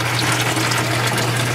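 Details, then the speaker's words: Whirlpool direct-drive washer whose water remains after the roughly two-minute neutral drain: a steady low pump hum under heavy gushing, splashing and churning as the drain backs up and spurts from the blocked hose end, an abnormally strong stream. "normally after the neutral drain approximately two minutes it stops look at that there's still water there so it's not draining fully"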